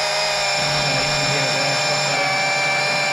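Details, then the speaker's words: Electric oil extraction pump drawing oil via dipstick tube from a Briggs & Stratton HP470/SP470 mower engine, starting to discharge. Steady high-pitched hum with soft sucking undertone; normal, not the quickest pump. "it's just start to discharge P there now how you'll know when it's empty you just H it up you can see the tone changes"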